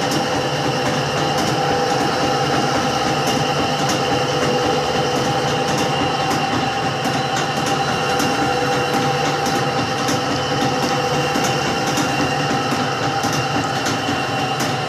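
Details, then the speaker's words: Electrolux washing machine during spin: steady whirring with sharp knocks about twice a second as the tub swings and strikes the cabinet sides; cause not confirmed. "vocês já perceberam o seguinte este barulho ela está se batendo batendo batendo nos lados tá"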